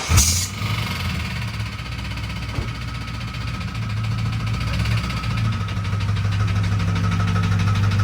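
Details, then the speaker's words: Turbo 5.9 Jeep Grand Cherokee daily driver on pump 92 gas, cold start in the morning: catches, high idles then comes down into a deep, steady idle that slowly smooths out with no knocking; normal cold start. "Starts, high idles, comes down."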